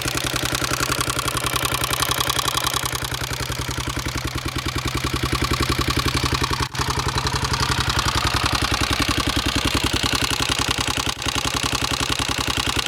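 Single-cylinder thumper ticking over with a steady, fairly quick rattling clatter riding on every firing beat; source of the noise unknown.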